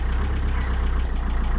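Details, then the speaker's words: Peugeot 407 2.0 HDI diesel after fuel filter replacement and priming: steady low diesel rattle holding an even idle, no hunting or stumbling, good fuel supply; normal idle. "As you can see, no hustle at all. That's how easily it's done. And it's not gonna stop."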